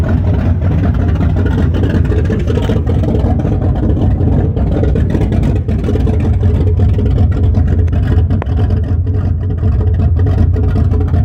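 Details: 1974 Chrysler Newport, slightly tuned 440 V8 with open headers, first start after rebuild with new bearings: deep, steady, strong rumble, no knocking or ticking; normal running.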